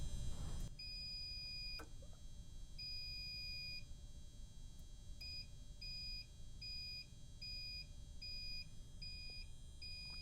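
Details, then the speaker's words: Liftmaster LM21XP fire door operator in test mode on an overhead fire door drop test, shrill two-tone warning beeping counting down before door release; drop then measured about 4 seconds, faster than 6-second minimum. "Once I start, by the way, once I start pushing this, it's going to start beeping. So, there's that noise level."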